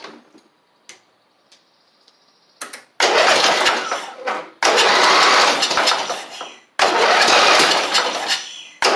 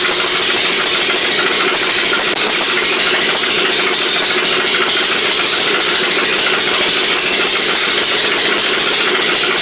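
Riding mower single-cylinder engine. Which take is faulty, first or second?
first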